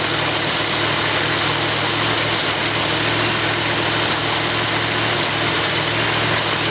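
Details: After rebuilding the Edelbrock carburetor on a 1965 Ford Galaxie, steady, even V8 idle with a smooth low rumble under a lot of hiss, no stumble or misfire; owner says it sounds like it's breathing a whole lot better.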